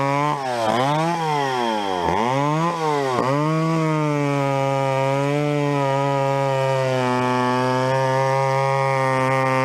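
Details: Vintage chainsaw, unknown when last run, chain a little dull, cutting a 14-inch piece of wood: two-stroke blips up and down a few times, then holds a clean steady high rev; pulls well, sounds healthy.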